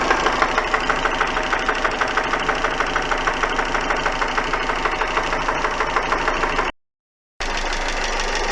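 Sharp regular knock at about three per second over a steady idle, loud and persistent; a clear internal engine knock, source not pinned down.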